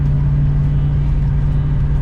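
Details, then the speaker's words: VN Commodore LS1 automatic with newly fitted 3.9 diff gears, cruising about 1750–1800 rpm at 100 km/h: a steady low whine holding one pitch over road rumble, plus slight vibration at that speed. Differential gear whine. "i don't know if you can hear the wine i'm so shattered that it's got different it's got a slight slight vibration as well at like this speed"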